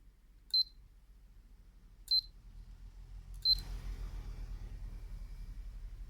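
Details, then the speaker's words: Hatari standing fan after repair with new two- and five-pin connectors: three short high panel beeps, then soft steady fan whoosh through low, medium, high and swivel; working normally. "now after the repair yee-haa low medium high swivel stop swivel back we are back in business"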